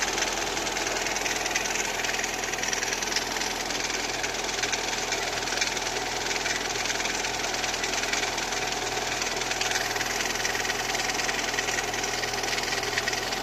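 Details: Lada Kalina 2 engine at cold idle: a rapid, somewhat uneven knock of about two per second riding over the engine; cold-start knock of unknown origin.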